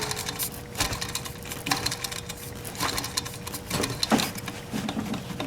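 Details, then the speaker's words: 1991 Ford F150 4.9L I6 during serpentine belt replacement: hand-spun pulley gives a dry rattling whir fading after each spin, about once a second; bearing noise suggests possible wear, owner unsure. "again i'm not sure how worn this is because you can hear all the bearing noise in there"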